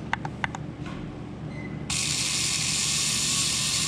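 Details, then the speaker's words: Brushless RC motor, 2-pole, spun up on SkyRC BMA01 analyzer kV test around half throttle: after light clicks, a harsh high-pitched rough, unsteady whir with RPM readings jumping; dying motor. "Oof. Can you hear that already? How poor that sounds? And look at the RPMs, how much they're jumping."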